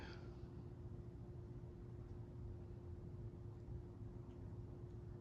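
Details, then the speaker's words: Hampton Bay Windward II ceiling fan dated 09/2002, on low speed: very faint, even hum with soft steady tone, no rumble, ticking or scraping; initial bearing noise cleared after running overnight on high, bearings now quiet. "Real quiet fan. When I first put it up, it had a little bearing noise, but I just put it on high and let it run all night, and I came back in here, dead silent."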